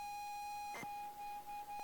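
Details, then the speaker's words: 40-year-old ZX Spectrum game cassette being loaded: steady high loading tone with short dropouts and a stray squeak, signal falters; tape judged bad and fails to load, worn or damaged tape suspected. "No, that tape is stuffed. That's not a good tape. So that one's also bust."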